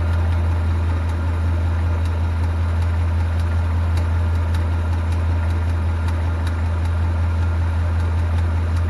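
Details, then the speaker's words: 2018 Mustang GT V8 at idle with a newly fitted NBRP cat-back exhaust; sharp regular light ticking over deep idle, ticking badly, source not yet found. "all right guys we're underneath my 2018 Mustang GT it's picking really bad right now and Jeremy here has got got a stethoscope and we want to see what's going on underneath this fad"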